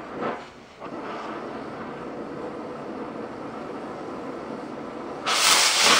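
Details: Oxy-fuel torch cutting thick plate with a quarter-range rated tip: steady, even hiss with a bright rush coming off the bottom of the cut near the end; clean cut.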